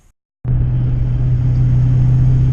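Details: 1986 Fox-body Mustang on E85, after the fuel pump and filter were replaced for lost fuel pressure: the engine settles immediately with a deep, even rumble and no misses, knocks or ticks. Fuel pressure is now good.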